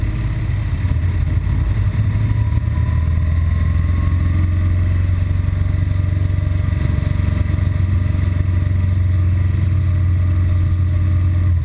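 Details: BMW R1200GS Adventure twin idling with low uneven wavering thump, intermittent rough idle and stalling, typically after about 20 miles of fast A-road riding once in traffic.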